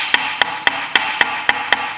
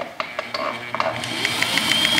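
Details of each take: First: Sewing machine before repair: sharp, dry, evenly spaced clacks about three and a half per second; knocking likely from camshaft-like part, fixed by cleaning and lubricating. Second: Sewing machine after cleaning, lubricating the cam-like shaft and rotating points, and reassembly, run on the pedal: a few start-up clicks, then a smooth, steady whir with light even ticking and no heavy knock; runs normally.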